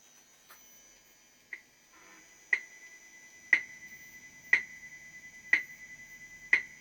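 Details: Sharp, bright clicks exactly once a second over quiet amp hiss from an electric guitar (335) as an electronic watch near the pickup leaks its ticking into the signal as electromagnetic interference.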